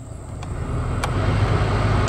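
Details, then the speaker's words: Chevrolet Trailblazer heater blower on speed five, key on, after replacing the blower resistor and the burnt, melted wiring plug: a steady, even rush of air with no rattle or squeal. Previously speed four did not work. "number four yeah and number five working great you can probably hear the noise difference"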